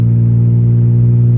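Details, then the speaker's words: 1988 Ford Ranger driving to the shop early morning, heard in cabin: muffler gone, exhaust open and broken apart at the muffler inlet. Loud, deep blatting roar with heavy low drone and no muffling at all; exhaust leak. "it is, yeah, like broken apart there. I think that's what probably broke while going down the road, but I'm not 100% sure on that, everyone."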